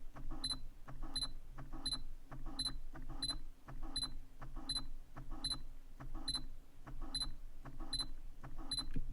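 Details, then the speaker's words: New Sony G-Master 85mm f/1.4 lens autofocusing, same at different apertures: sharp high chirp repeating about every two-thirds of a second as it hunts; autofocus motor noise, owner suspects broken lens or firmware. "So I'm gonna show you guys, and maybe somebody can tell me what I'm doing wrong, or maybe the lens is broken."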